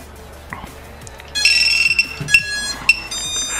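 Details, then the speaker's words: VIFLY Finder lost-drone buzzer, rated 105 dB, installed on an FPV racing drone: shrill high-pitched squeals in short bursts once drone is powered and linked to radio; buzzer working as intended. "ça vous l'entendez 105 décibels ça couine aussi bien qu un buzzer de base puisque c'est un buzzer de base"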